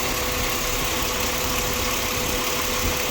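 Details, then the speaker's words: 2007 Ford Explorer XLT after WD-40 was applied to the noisy belt tensioner pulley bearing: steady idle under an even hiss with no chirp or squeal. The noise seems gone but may return; if it does, the bearing needs replacing. "i think the noise is gone after putting wd-40"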